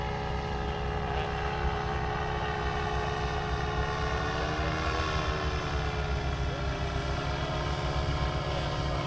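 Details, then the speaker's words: Paramotor two-stroke engine at high revs: steady drone with faint wavering note, sounds like it's sucking air and running lean; suspected bad seal worsening beyond adjustment; advised setting mixture screw seated then one and a half turns out. "Sometimes the interim you can give it enough fuel, you can adjust it enough to to to go, but the seal continues to get worse and it gets leaner and past what you can adjust."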